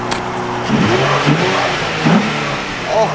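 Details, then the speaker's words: Cheap Nissan 350Z after new air filter: clean, crisp revs rise and fall evenly with no misses, sounding much better; slight exhaust heat shield rattle noted. "sounds so much better oh my god that sounds so much better i usually hate the sounds of 350s"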